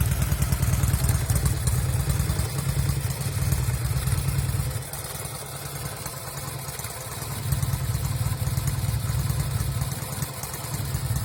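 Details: 1974 Norton Commando 850 with un-muted silencers: loud open-pipe twin idle with the beat dropping out and going soft for a couple of seconds; occasional misfire from the left side, which also smokes.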